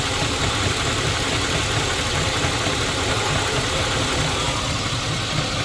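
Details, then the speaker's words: LS donor truck engine with 4L60E, before removal: rough, uneven whooshing pulse over a busy idle, about two per second; suspected water pump or belt-driven accessory. "i want to make sure the ending is going to be suitable for my intentions like that's on there crooked you can almost hear that water pump or something"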